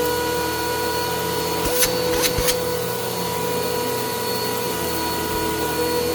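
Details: Bissell PowerClean OnePass (35831) vacuum, used Goodwill unit, running after its clogged filter was cleaned and airflow unblocked: constant high motor whine with a rough undertone and brief clatters. The motor is still noisy; owner suspects bearings or dirt in the impeller, unconfirmed.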